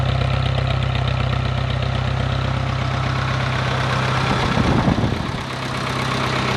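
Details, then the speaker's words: 1951 Farmall Cub tractor after a carburetor clean, fresh fuel and rewiring, just started: the four-cylinder ticks over at a steady, even low beat with a brief bump near the end, good oil pressure; idles smoothly. "And these motors just purr."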